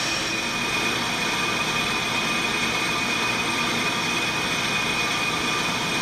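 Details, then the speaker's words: On-car brake lathe cutting a brake rotor with anti-chatter pads fitted, after the clutch click: even, steady hiss with a thin high ring, no chatter; normal, clean lathe cut. "that click indicates that the clutch has been applied and you can now hear that the rotor is starting to cut"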